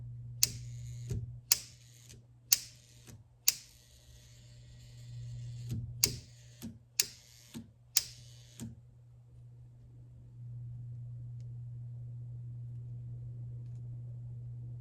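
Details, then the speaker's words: Vintage L&A barn-find pressure washer: sharp clicks about once a second over a steady mains hum as the solenoid plunger pulls in and releases and the small transformer engages; normal solenoid operation. "When I switch to rinse, I hear the solenoid click on the back and the little transformer engage. So if I switch to rinse, that clicks on."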